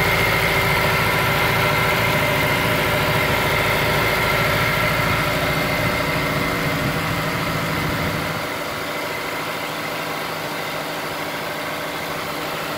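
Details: Honda S2000 at cold start after TCT install: cold idle with a busy, fast ticking chatter over the engine that settles and quietens after about eight seconds; source unknown.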